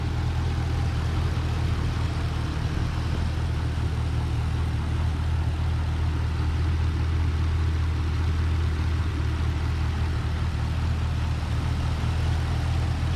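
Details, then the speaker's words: 2012 Camaro SS LS3, about 160k miles, after replacing all lifters to cure an idle squeak, warmed up while burping the coolant: smooth, even low idle with no ticking or squeaking; normal. "replaced all all the lifters just fired it up got up the temp burping the coolant system"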